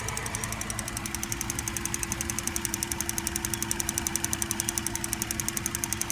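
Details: 2008 Cadillac CTS with 3.6 LY7 petrol V6 at cold idle: a quick, even, sharp ticking, about nine a second, louder on the passenger side.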